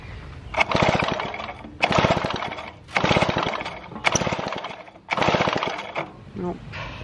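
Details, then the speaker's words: 1950s David Bradley chainsaw under restoration, pull-cord cranking: five quick ratchety compression bursts, never fires; no spark ever obtained with either magneto, oscilloscope readings confusing (possible instrumentation issue); cranks but will not start. "either way I can't get a spark and never have got a spark in this thing with either Magneto"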